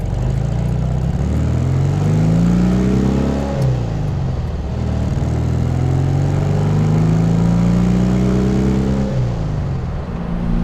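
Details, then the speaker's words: Porsche 356C air-cooled flat-four on warm-day shakedown drive: pulls cleanly through gears, pitch rising and dropping at each shift, no misses or knocks; running smooth and great, earlier gas smell gone. "It's very smooth. It's running great, and no more gas smell."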